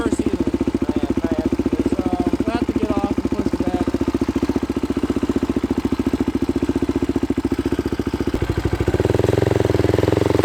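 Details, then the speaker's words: 2005 Polaris Predator 500 sport quad, choked, a little cold-blooded though run two hours earlier, new exhaust fitted: steady, even single-cylinder thump about 3.5 beats a second, revs rising near the end; normal clean idle. "It's a little cold-blooded, but I just ran it about 2 hours ago, so it shouldn't be too bad. There you go. Might have to give it a little gas. Once it warms up, it'll idle better."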